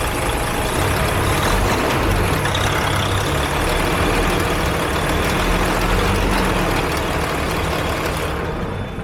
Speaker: Customers complained of a ticking sound at about 1000 RPM.